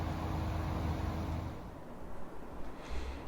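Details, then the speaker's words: MRCOOL 12K 115V ductless mini-split compressor (outdoor unit) installed in a crawl space, first test run after switching the breaker on, heard in the crawl space: low, steady, really quiet hum with no knocking or rattles; normal running. "Okay, so this unit is running, and you can hear how much noise it's making. Basically, it's like really quiet."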